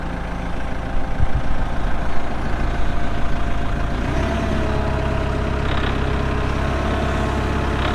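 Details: 2014 Kubota M8560 2WD tractor, 1,376 hours: diesel fires up and holds a deep steady clatter at idle, no knocks or hunting; sound, healthy engine.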